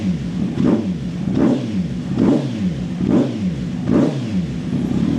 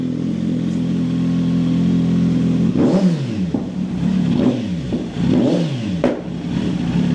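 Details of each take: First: Kawasaki Z900 2020 warming toward 90 °C, button pressed to switch the pops & bangs solenoid valve off: repeated short blips about once a second, dropping back cleanly with no crackle or bang on overrun; normal revving without backfire pops. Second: Kawasaki Z900 2020 warming up after fitting a button-switched solenoid valve for pops & bangs, valve letting them through: engine blips up and down with a sharp crack as revs drop; exhaust pops on deceleration.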